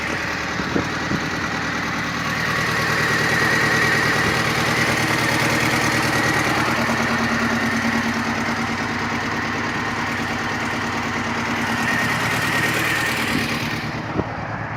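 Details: R53 MINI Cooper S at idle: stumbling, uneven lumpy beat with faint irregular knock; cylinder 1 misfire with zero compression, timing chain found slack on the right side with a broken guide rail.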